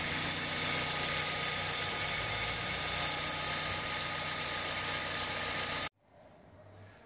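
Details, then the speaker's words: 2003/4 Toyota Corolla after the repair of its cold-start accessory belt noise, engaged in reverse: a smooth, steady idle with an even hum and no rattle or resonance. The noise is gone; normal idle. "Bom, pessoal, aparentemente aqui parou o barulho."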